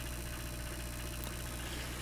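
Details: Washing machine drain pump with no error code shown gives a steady low electrical buzz but moves no water; an obstruction is found in the pump, which is then removed.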